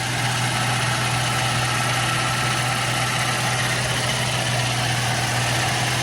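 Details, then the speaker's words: Toyota FJ Cruiser idling with the cabin blower on: steady rough grinding whir from a blower motor fouled by debris, first suspected pulley bearings, transmission or engine; grinding gone after fixing the blower motor and replacing the cabin air filter. "when i would switch this over you would hear it right away the engine would make a weird like grinding sound but that is completely gone now"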